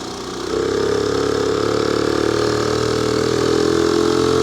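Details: Honda PC50 two-stroke moped on the road, wireless mic clipped to rider's collar: steady, even buzz holding a smooth pitch with no knocks or misses; running cleanly, though owner suspects sticking clutch and a vacuum leak causing bogging at full throttle.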